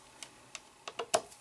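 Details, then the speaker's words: Quantum Daytona 2.5-inch SCSI hard drive tries to spin up then gives up: sharp uneven clicks about four a second, no steady spin hum; heads suspected stuck from a deteriorated rubber piece. "but it just kind of gives up after trying to you can hear the heads but you hear a clicking that sounds like the heads are moving but it's not really"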